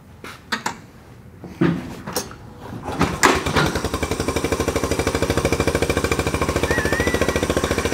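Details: Small single-cylinder four-stroke Honda bike: some clatter at first, then a quick, steady, even thump around three beats a second, running sweet.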